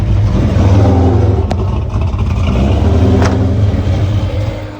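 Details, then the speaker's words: 1995/96 Ford Mustang Cobra 302 automatic, swapped engine with very radical cam, after retarding timing slightly; loud lumpy V8 idle surging and stumbling about four beats a second, hard to keep running; O2 sensors eliminated, wiring faults, cause unconfirmed. "Oh, this thing's going to be hard to keep it running. It's supposed to have a very radical cam in it."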